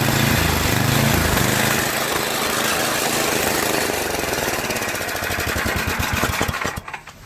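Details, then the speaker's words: Tecumseh two-stage snowblower engine running from electric start; loud and unsteady, surging with tremendous vibration then dying, most likely from a clogged carburetor fuel jet on the float bowl. "however it does surge quite a bit causing a the engine not to run smoothly and causing vibration tremendous vibration that you know makes a lot of noise"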